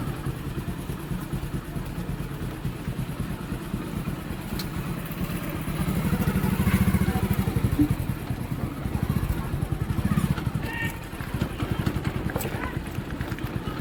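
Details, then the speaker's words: Hero Passion Pro after clutch plate replacement: steady, even single-cylinder drone rising and easing smoothly with throttle; no rattle on clutch release after gear change, unlike before repair, so clutch engages cleanly. "Gear change करने के बाद कल छोड़ता था घर से आवाज करता था अभी वैसा कुछ आवाज नहीं कर रहा [संगीत] है बिलकुल स्मूथ चल रहा है अभी कोई दिक्कत नहीं है"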